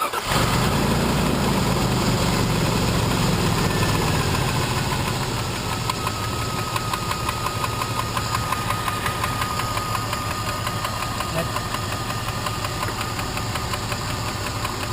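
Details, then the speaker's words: 2000 Jeep Grand Cherokee after replacing driver-side lash adjusters/lifters: cranks, catches and idles with a quick, even top-end tick still present; owner suspects a rocker arm is off but thinks it's not loud enough; cause unknown. "that tick is still there. I might have to pull it off again. See if one of the rocker arms is off. But it's not as noisy enough to be a rocker arm."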